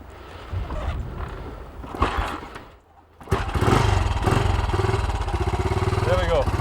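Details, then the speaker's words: 1968 BSA Starfire single with new carburettor fires up after a kick and settles into an even, healthy-sounding thump, then the beat wavers and fades; engine will not keep idling, carburettor tinkering needed. "it's going actually sounds quite healthy quite pleased with that but she's not going to keep running"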